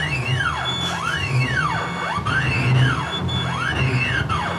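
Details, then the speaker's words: CNC mill (Mikini) on Mach, spindle off, starting a hole-pocketing program: steppers whine up and down in sweeping tones with a faint rough growl; Z-axis stutters, stepper vibration. "So listen to the motors, and you can kind of tell it doesn't sound right. So we're going to hit cycle start. Already the Z kind of stutters a little bit."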